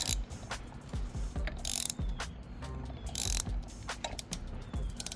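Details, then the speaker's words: Benelli 302S engine turned over by hand: slow ratcheting clicks with heavier, irregular clunks like something dropping inside. The owner suspects it may be out of timing. "All right. You're going to hear what sounds like something dropping."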